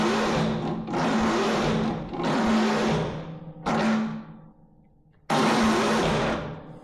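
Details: MTD Yard Machines riding mower, 13.5 hp Tecumseh, after cleaning rusty dirty spark plug boot: four one-second cranking bursts, starter whirring evenly, engine never fires; cause suspected, not confirmed, carburetor cleaning planned next.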